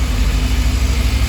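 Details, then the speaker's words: Yamaha FZS600 Fazer 600 after clutch plate replacement and cleaned, re-gapped spark plugs: deep, even exhaust burble at idle with a steady beat, no rattles or clutch noise; rpm needle steadier than before, running cleanly. "Power तो अभी बिल्कुल ठीक है जी clutch पेट की कोई आवाज नहीं आ रही है बाकी तो इसको चलाएंगे पता चलेगा"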